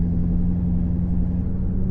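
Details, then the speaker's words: Rebuilt salvage 2008 Corvette C6, LS3 automatic, driving after rear end repair: even low engine and road rumble while cruising, no whine or clunk from the back; the rear end now runs quiet and normal. "that's way better we might have done it yeah that actually like sounds normal sounds like a normal event i think we i think we just finished this car"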